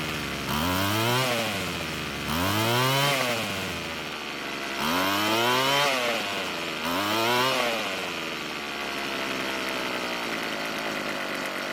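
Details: Weed Eater brand two-stroke string trimmer, rebuilt and obtained free; after the L screw was turned a quarter turn counterclockwise to add idle fuel, four throttle blips rise and fall, then it settles into an idle that keeps running without dying.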